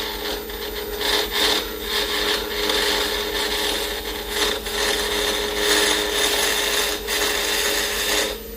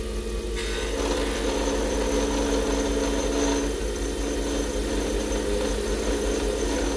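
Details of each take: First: Acrylic pen blank turned on a lathe from a square block to round: a harsh rasping chatter with a buzzy hum and repeated bursts as the square corners strike the tool. This is an interrupted cut chipping the blank, which is expected until it is round. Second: Acrylic pen blank on a lathe, after chatter caused by feeding too quickly: a steady, even scraping hum with a consistent slow cut and no chatter or catching. The tool angle and feed are correct.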